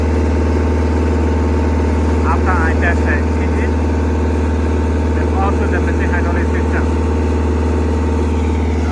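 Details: Steady, even diesel idle with a constant low drone, no misfire or hunting, on a CAT 307SSR mini excavator's Mitsubishi engine after fuel injection pump installation fixed a no-start; runs healthy.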